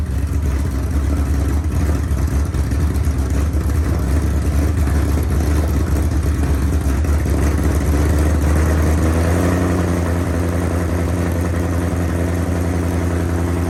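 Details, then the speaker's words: Coyote V8 swapped into a Foxbody Mustang, first start after the engine sat at least three years; deep, even V8 burble idling smoothly, dropping slightly in pitch near the end; normal healthy idle, started easier and sounded better than expected. "I'm super excited that this thing started up I did not expect it to go that easy didn't expect it to sound that good"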